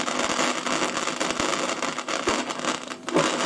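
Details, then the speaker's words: Fidelity HF45 record player with BSR deck, first turntable test: rough, scratchy grinding rumble with uneven catches as the platter labours to rotate; drive noisy and struggling, likely dry or sticking, later spins and plays. "Let's see if the turntable will rotate. So, my camera angles are terrible, aren't they? It's not happy, is it? It's not happy AT ALL."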